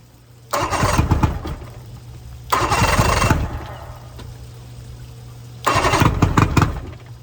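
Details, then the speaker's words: 1999 Bayliner Capri 125hp Mercury outboard in rebuild, old spark plugs, noise-reduction shield still on: catches three times, each run under a second before dying; starts but won't stay running, blamed on carburetors. "All right, update. It starts, but it doesn't stay running. That tells me it's the carburetors."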